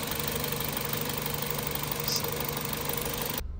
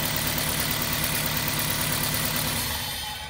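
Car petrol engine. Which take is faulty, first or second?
second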